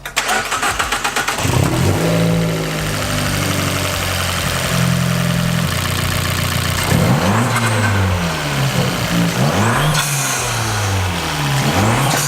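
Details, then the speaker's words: Fiat 500 Abarth turbo petrol before fitting a Forge blow-off valve; revs climb, then each throttle lift brings a rapid fluttering chatter as the turbo surges with no blow-off valve. "basically why I did get this on though is to eliminate my treble flutter because it's not good I'll give you a sound clip right now"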